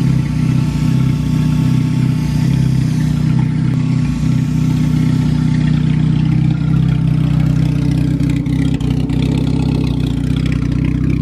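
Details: Acura sleeved GSR B18 turbo on AEM EMS after fuel filter changes, cams audible: deep, steady idle with even pulse, no knocks or misses; healthy, though it still needs a radiator cap and battery.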